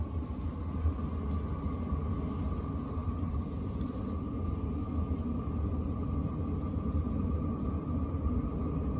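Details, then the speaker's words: Chinese diesel cab heater in a skoolie bus ramping up on high after ignition: smooth steady jet-engine-like roar from burner and fan with no surging or popping; heater running well. "there you go hear it kicking up starts going faster as it starts calling for more heat and hear the jet engine taken"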